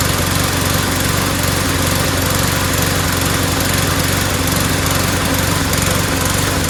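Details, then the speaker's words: MTD lawnmower small engine after fitting a replacement part: fast, uneven, sputtery pulse, misfiring and running rough; owner suspects cloudy, water-saturated old two-stroke-mixed gas rather than the carburetor. "you know it doesn't sound so good it sounds sputtery so I don't think it's the carburetor"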